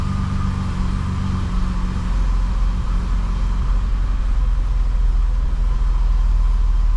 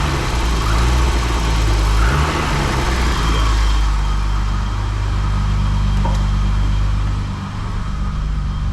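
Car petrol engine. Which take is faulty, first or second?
second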